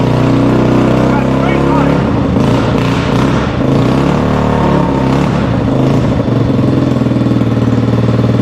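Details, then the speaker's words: 1973 Honda ATC70 single-cylinder with straight-pipe exhaust, first start after a carburetor rebuild: steady, even popping through the open pipe with no misses or knocks; running normally. "look at that what a fantastic deal it's just got straight pipe exhaust on it to match the flame tank"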